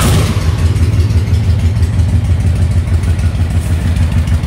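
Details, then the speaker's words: Honda VTX 1300 V-twin fully warmed up, idle turned down by ear before mixture adjustment. Low, loping thump at about two beats a second, steady and even with no clatter: normal warm idle. "that's our normal Adil let's bring it down about here that way any changes we do in this air fuel mixture screw we'll have a lot more noticeable effect"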